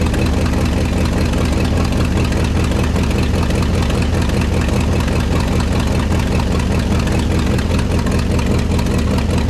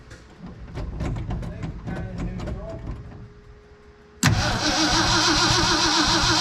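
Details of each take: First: 1969 Ford F-100 FE V8, revived after sitting: heavy idle on all 8 cylinders with a rough, uneven puffing pulse about two per second over the rumble, a large exhaust manifold leak; headers planned as the fix. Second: 1969 Ford F-100 that sat 5 years, already rotated by hand, cranked on the key with coil power removed so there is no spark: after clicks it turns over steadily at about four beats a second, no dead spot; normal cranking.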